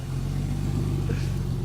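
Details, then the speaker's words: Porsche 911 started with the silencers removed, on a jump from a van: deep, loud booming, raw and throaty rumble under revs with no muffling. "a lot of people in the comments actually said, why don't you just start it without the silencers? So we're going to do that now."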